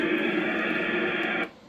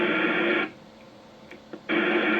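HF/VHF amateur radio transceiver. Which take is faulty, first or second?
first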